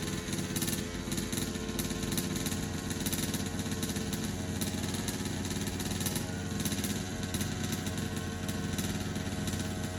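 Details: HPI Baja 5B SS small two-stroke after carburetor rebuild: buzzy, fast, even note throughout with no stumbling or cutting out; normal running.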